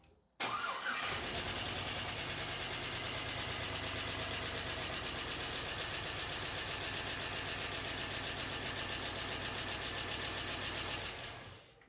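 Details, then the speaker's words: 5.3L LS-swapped S10 Sonoma, first start on stock wiring harness, no cooling system yet: engine catches into a lumpy, uneven loping idle as if one cylinder is off; owner suspects a misfire, plans to check coil packs and scan data. "something's definitely sounding a little funky so just sounds like one cylinder is off or something"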